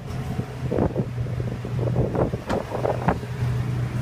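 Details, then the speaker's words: H-2 idling after exhaust manifold repair (broken stud and gasket replaced), test run: low, steady idle hum under gusty wind, no ticking or puffing from the exhaust side; the noise is gone, engine sealed and healthy. "alors on a plus de bruit c'est parfait"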